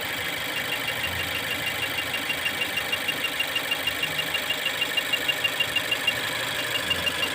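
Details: Mazda 2 at idle: steady hiss with faint regular pulse about two beats a second that stumbles now and then, an intermittent misfire.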